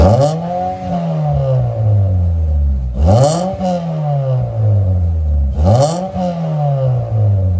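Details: 1993 Mitsubishi Lancer MR MIVEC running for the first time in over 15 years, powered by jump leads from a van with no battery fitted: three clean revs climbing and falling smoothly back to steady idle, no clatter or stumble; sounds healthy.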